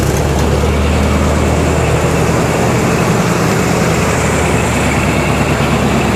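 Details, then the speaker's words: 1987 Chevrolet Monte Carlo SS V8, first start after sitting 20 years, orange rust smoke: loud steady rumbling idle holding even without stumbling or knocking; compression on both banks, engine sounds good. "Reverse lights are still on. Surprisingly, this engine sounds really good."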